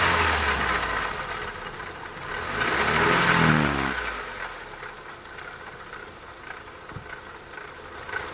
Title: Opel Astra 1.6 16V (X16XEL) rattling noise / Klappern